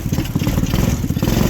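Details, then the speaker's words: Hitachi T-Rex go-kart, single-cylinder engine of unknown size, after a crash, running on year-old fuel and possibly nearly out of gas: uneven, lumpy chugging that never picks up cleanly; poor throttle response, owner suspects it needs richening. "See, the throttle response is not there. Sounds like it needs to be richened up a little bit."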